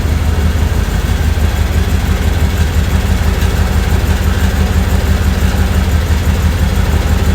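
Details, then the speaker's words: Off-road wrecker V8 on stopgap exhaust, no load, warming up with water temp around 169–170 as thermostat starts regulating; deep, even idle with steady lope, no stumbles, ticks or knocks; stable, smooth normal idle. "Yeah, you got a lot of cooling capacity. It idles stable and smooth."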